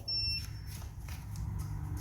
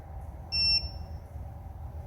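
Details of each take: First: Electric motorcycle with FarDriver controller, wheel off the ground, after swapping to the motor's second set of Hall sensors to diagnose error code 1: one short high beep at key-on, then low hum; controller powers up cleanly with no error. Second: Electric motorcycle FarDriver controller, wheel off the ground, with the motor Hall sensors deliberately unplugged: after the motor spins, a single sharp beep, long pause, single beep, about every 2.5 seconds. This is error code 1, a Hall sensor fault.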